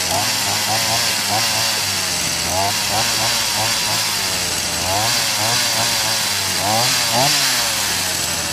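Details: BERALA BL-29X two-stroke chainsaw that would not start, now starting and running after fuel was pumped through the carburetor; a buzzy, steady drone revving up and down smoothly without cutting out.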